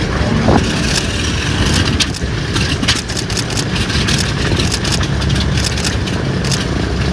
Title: Misfire During Engine Start. DC-3. Pratt & Whitney 1,200hp Engine.